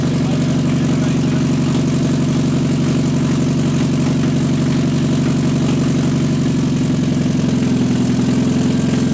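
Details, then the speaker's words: Mazda MX5/Miata engine running with no cooling or exhaust system fitted: loud, raw, rapid firing pulses at a steady idle with no muffler; even, healthy run, normal for open header. "so the there is no cooling system or exhaust system hooked up so it's going to be a little bit noisy and we're only going to run it for a limited period and because of there being no cooling system so let's go ahead and start it up"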